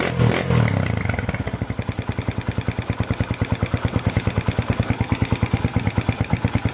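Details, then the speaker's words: Honda Tiger stock engine with PWK 28 NGO carburetor, after tuning with pilot jet lowered to 30, needle clip raised to top, GL Pro needle: steady, even single-cylinder idle, no hissing, throttle blips normal. "Oke bosku, sekarang setelannya, stasionernya sudah bisa stabil, nggak ngeses lagi, dan untuk blayerannya juga sudah normal loh."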